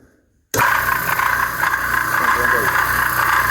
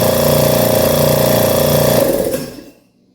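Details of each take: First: Used direct-drive air compressor under load while pressurizing: loud, harsh mechanical clatter that grows with load. The diaphragm is fine; the cause is a loose counterweight on the eccentric shaft. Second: Schulz direct-drive air compressor bought used, after tightening the loose internal bolt that caused a loud metallic noise: even pumping thump about four times a second with no metallic knock, then winds down; running normally.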